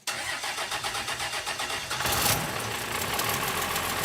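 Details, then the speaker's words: Roadkill Ramp Truck '59 diesel after sitting 3 years, fuel shutoff solenoid lifted by hand while the key is turned. Rhythmic cranking at about five turns a second, then it catches with a burst and settles into a steady idle. "It's Roadkhill Ram Truck is back. It runs. Doesn't stop."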